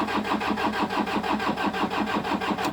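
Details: 2010 Toyota Hilux 2KD-FTV 2.5L diesel, no stored codes; cranking at a steady even rhythm, about five compression pulses a second, never catches; common rail pressure stays far below the 30,000 psi target (about 6,700); a diesel fuel problem is suspected; cranks but won't start.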